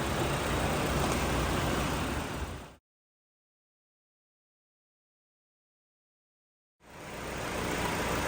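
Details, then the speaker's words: 2017 Hyundai Elantra 2.0 after swap to a low-mileage engine: smooth, even idle with steady note, no knocks or misses, around a silent gap; no leaks, no check engine light, healthy. "you just swap definitely sounds a hell of a lot better healthier engine right there"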